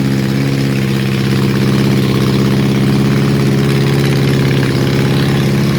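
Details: Honda CB750 four-cylinder during restoration, first running: a quiet, lumpy, uneven idle; number 4 cylinder is not firing; ignition is ruled out, fuel or electrical suspected; vacuum leak also suspected.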